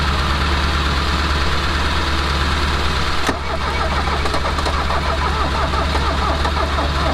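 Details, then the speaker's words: Mercedes 240D OM616 four-cylinder diesel that sat about 15 years with gummed sludge fuel, jump-started from another Mercedes; steady low starter churn, cranks but won't fire. Briefly started off camera and ran away, fuel rack stuck wide open. "we didn't make out too good today. When I didn't have the camera on, it did start for a second and it started to run away."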